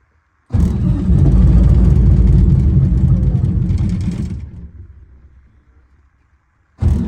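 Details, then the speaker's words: 1985 Peterbilt cabover, 8V92 Detroit two-stroke diesel, after fitting new Delco Remy 39MT 12 V gear-reduction starter: fires and settles into deep, even cold idle pulse, then shuts down. Normal. "oh that sounds like a heck of a lot more power it's a little cold"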